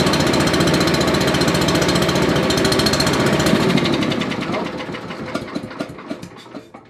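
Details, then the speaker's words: Found older Billy Goat leaf blower with a Briggs & Stratton 9.5 hp engine, given starting spray; carburetor suspected shot, ignition and valves still to check: the engine catches, runs rough for a few seconds, then sputters through uneven pops and dies. "Because it may not be picking it up through the carburetor, because the carburetor could just be shot. But it should have kicked. Well, we may have something wrong."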